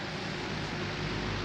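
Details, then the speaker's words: Old Lakewood 200-series (possibly model 201) base-blade box fan running on low; soft, even whoosh of air with a faint low drone, no ticks or rubbing; good bearings and spin-down time. "good enough amount of air on low to do its job. Bearings are great. Spin down time is good for a base blade."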